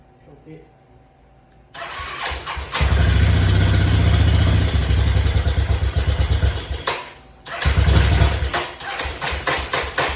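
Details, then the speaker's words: 1986 Yamaha Big Bear 350 ATV, single-cylinder, first start in a while after rewiring with fresh oil and plastics off: fires after cranking, then idles unevenly with lumpy, hunting beats and a stumble. The carburetor definitely needs adjustment. "carburetor definitely need adjustment but what I'm going to do now is just move it out"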